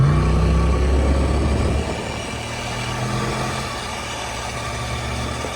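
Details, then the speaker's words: Turbo police car with 406 stroker small block, first test hit on slicks: deep heavy drone that drops after two seconds and never climbs freely, engine laboring; owner suspects 8 1/4 C-clip rear axle with 2.94 locker gearing. "It turns out that I have one of those axles because I was watching back the video and when we did that first test hit after going to the dyno with slicks on it, you could tell this car was laboring."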